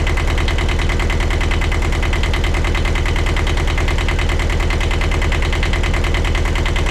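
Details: 1982 Catalina 30 marine diesel after replacing the blocked exhaust manifold, refitting thermostat and water pump: steady, regular chug at about three beats a second, no knocks or misses; normal idle.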